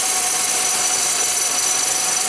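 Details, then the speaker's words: 2003 Pontiac Grand Am at idle after first start, warming up, not overheating: steady hissing whir with a faint constant tone, no knock or rattle, from the water pump area; previous owner suggested the water pump, unconfirmed; engine bay whine. "That could be maybe what that noise is. It does sound like it's coming from that area. It almost sounds like an exhaust or a heat shield rattle, you know, but that doesn't seem to maybe be the case."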